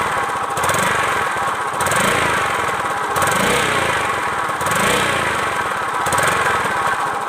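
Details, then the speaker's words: Pega Air New motorcycle engine running with an uneven, surging note and a rattly tone over it; abnormal noise, cause not clear. "Motor Pega Air New. Kira-kira apa ya ini suaranya yang bermasalah?"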